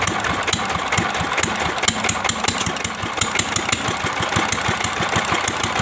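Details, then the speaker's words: Old S1100 single-cylinder diesel at idle after restoration (one valve replaced, stuck piston freed from liner): sharp metallic ticks four or five a second over steady idle; rough, worn timing gears, left to owner whether to replace. "Alhamdulillah sekarang mesin dieselnya sudah mulai enak hidupnya ini ya dan ternyata di sini suara gearnya sudah Memang agak kasar ini teman-teman"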